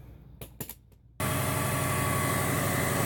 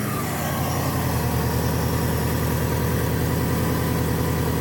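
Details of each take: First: 1994 Subaru Legacy Turbo wagon after new header and up-pipe exhaust gaskets: clicks, then starts and settles into steady even idle with no puffing or ticking; exhaust leak fixed. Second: 1994 Subaru Legacy Turbo wagon after replacing header and up-pipe gaskets; up pipe found split almost in half, smoke still escaping from it at a different spot. Steady, lumpy idle with uneven puffing chuff: exhaust leak from cracked up pipe.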